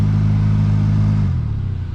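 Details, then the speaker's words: Hyundai Elantra with the AC on: a deep, steady humming drone from the blower; leaves or mold on the fan blades are suspected of unbalancing it and making it vibrate, or a bad blower motor; cause not confirmed. "you go into your car you turn your ac on you hear that vibration that simple mean you have a bad blower motor"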